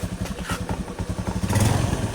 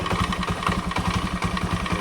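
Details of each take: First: Scooter after repairing the worn CVT roller housing bushing, idling then revved: even putter rising into smooth revs and back with no rattle; CVT now nearly silent, normal. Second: Scooter at idle before repair: rapid steady clatter of about eight knocks a second from the CVT, caused by worn loose roller housing bushing, with badly deformed rollers found on disassembly.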